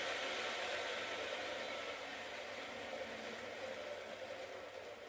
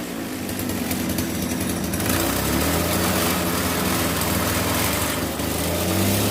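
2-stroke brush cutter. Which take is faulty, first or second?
second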